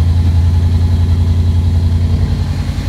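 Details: Audi RS6 C7 V8 restarted after fuel-related engine failure and repair: deep, even idle with steady low pulse and no knocks or misses; the engine sounds healthy.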